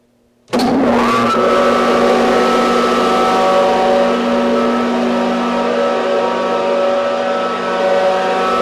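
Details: 30 hp Quincy rotary screw compressor running on single-phase power from a 160 amp breaker: motor kicks in abruptly and settles into a steady, even hum with a constant tone; normal start-up and running.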